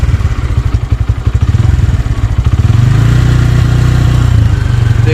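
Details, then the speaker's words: 2024 Bajaj Pulsar N150 single-cylinder engine, stationary test revved from idle through 3000 to 4000 rpm: smooth climb to a steady higher hum with no knocks or rattles. Very little vibration; normal revving. "4000 तक मैं कर रहा हूं बहुत ही कम तो देखा आपने यहां पर हमने 4000 तक यहां पर आरपीएम ले गए और यहां पर बिल्कुल ही कम वाइब्रेशन है अभी तक"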